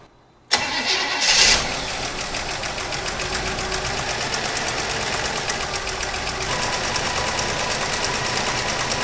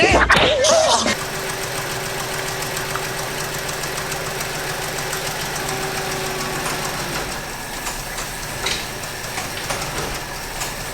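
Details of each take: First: 1964 Chevrolet Impala, 283 V8, Powerglide, off the road 28 years; fed from a marine tank in the trunk, hot-wired ignition; fires and settles into a steady, even run on its own fuel pump with no misses. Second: 1964 Chevy Impala, 283 V8 with Powerglide, revived after 28 years off the road: light, fairly regular lifter tick about three per second over steady idle, quieting down somewhat.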